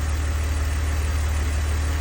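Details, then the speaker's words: 2002 BMW 330Ci idle: steady even idle, no ticking or miss; earlier tick gone, owner suspects collapsed lifter pumped back up or slightly under-torqued spark plug; running good. "so but ultimately she's running good so I don't have a problem"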